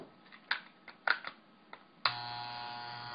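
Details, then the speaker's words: Andis T-Outliner trimmer after tightening a loose vibrating screw: a few clicks, then a steady even buzz with no rattle; the normal sound, with enough vibration for the nylon ball to move freely. "But basically, that's the sound you want. You want a decent amount of vibration, so that means you have unlimited motion for the nylon ball to move back and forth without resistance."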